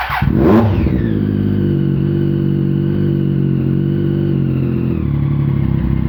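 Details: 2013 Triumph Daytona 675R first startup after top-end rebuild following timing chain tensioner failure that let intake timing jump into pistons: cranks, catches with quick rev, settles to smooth steady idle, no ticking; healthy.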